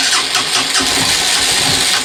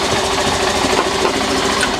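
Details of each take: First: Honda CB125F started after priming the petrol several times. Several seconds of uneven cranking, then it catches and settles into a steady, even tick-over with regular firing; normal start and idle. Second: Honda CBF125 single-cylinder bought damaged (bent frame) from insurance auction, ticking over right after priming fuel: fast, busy tick-over with slightly uneven, clattery beat, keeps running but sounds rough and tired; rough idle.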